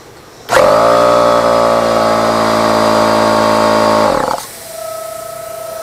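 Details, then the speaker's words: Husky H1301F air compressor: motor hums steadily about four seconds and shuts off, then a thin steady whistle of air leaking at the regulator; water inside, to be cleaned and given a new O-ring. "well it's coming from this regulator here all right Lucy Britain can't fix that"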